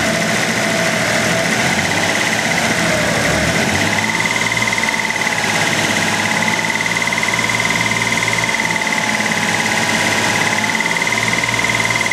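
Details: Dodge Stealth at idle, recorded from the engine bay: light, fast steady ticking with faint whine; persists after undenting oil pan, '99-style lifters, 15w50 Mobil 1 and Royal Purple; owner doubts it's lifter tick, cause unconfirmed.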